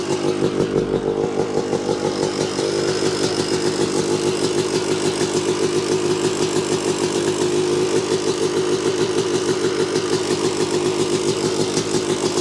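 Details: 1986 Yamaha YZ250 two-stroke, unrun since 2015, running on a borrowed carb and throttle with cleaned reeds. Crisp, rapid popping holds a steady idle without stumbling; the bike runs cleanly.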